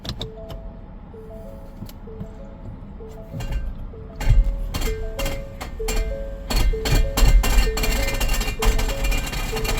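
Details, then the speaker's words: 2018 Ford Explorer 4WD, 51,000 miles, idling smoothly: irregular bursts of sharp clack-clack noises over a chime once shifted into drive; reverse works with only some jumping. A transmission problem is suspected. "it's a four-wheel drive unit and it has it makes a clack clack cl cl cl cl clck noise when um when you put it in drive when you go in reverse it reverses fine it's going forward is where it makes the noise that doesn't sound good at all"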